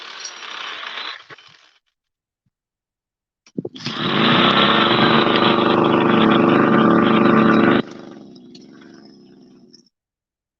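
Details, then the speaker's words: Go-Ped two-stroke scooter after an eBay carburetor and fuel-line kit was fitted: buzzes steadily a few seconds, then drops away and dies when trying to ride it. Stalls; idle may need more adjustment, cause unconfirmed. "all right now let's see if we can uh ride this thing around oh my God I killed it that's fine we'll start it up now"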